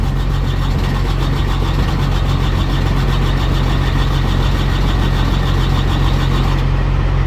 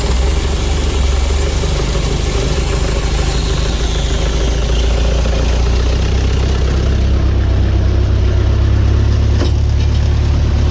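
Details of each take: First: Carrier/Thermo King reefer unit diesel that ran out of fuel, refuelled and set to continuous mode: steady starter cranking about two and a half turns a second, never catching; no start, lost fuel prime, needs bleeding. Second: Carrier/Thermo King reefer unit diesel after running out of fuel, refuelling and priming: catches and settles into a steady, even low rumble with no misses or stumbles; running smooth.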